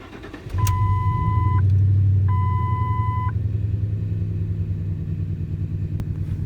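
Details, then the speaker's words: 2004 Ford F-150 with Triton 4.6 L, codes P0300, P0302, P0306, running rough after the owner replaced all ignition coils: two chimes, then an uneven lumpy idle that never settles; a misfire, with a mechanical fault later checked by compression test. "that we have the engine running you could feel the misfire let's scroll through some of our other live data"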